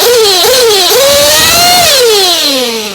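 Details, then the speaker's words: Warm, already-tuned model engine run on VP Power Master fuel, high-speed needle leaned in steps from too rich with revs between adjustments; crisp, clean high-pitched scream settling smoothly at full revs without sputter, top end set exactly right. "that's my top end that's exactly where I want it"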